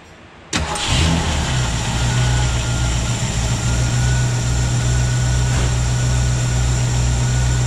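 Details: 1967 Ford Mustang with a rebuilt Holley 2300 2-barrel carb and a new gasket (it previously misfired and wouldn't idle), cold start on choke: it catches instantly and settles into a steady, deep, even idle with no stumble.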